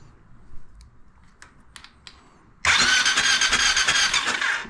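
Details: Honda TRX700XX ATV cranking with fuel injector reconnected, confirmed sparking: faint clicks then fast steady cranking that never catches. It previously started hard, then quit; owner suspects advanced timing (set by CDI) causing grunt, cough and pop through the airbox.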